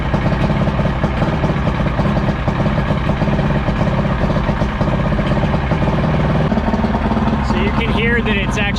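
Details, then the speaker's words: Evinrude V4 crossflow outboard (88–115 hp) on the hose after replacing the cam follower roller, timing about 6–7° BTDC, idling cold: lumpy, uneven choppy beat that should smooth out once warm or with the warm-up lever advanced. "it's actually a little cold right now because you hear that idle's choppy, that choppy idle. That's how you can tell it's a little bit cold right now."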